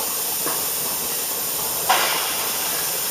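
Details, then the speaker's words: Pressure canner canning chicken stock, venting before the weight goes on: steady, even hiss of steam jetting from the vent nozzle, normal venting. "now this is what's called the pressure canner is now banting now we have to let it vent for 10 minutes"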